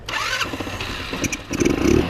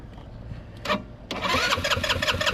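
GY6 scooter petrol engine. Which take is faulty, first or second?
second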